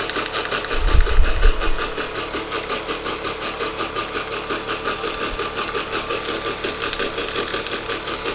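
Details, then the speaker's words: Wilesco D419 showman's steam engine, kit-built, first run: steady light rattle about four beats a second; middle brass drive gear slightly out of true with a tight spot against the flywheel gear, quieting down as it runs. "that brass gear is um definitely ever slightly off but the thing is it's quieting down just from running it"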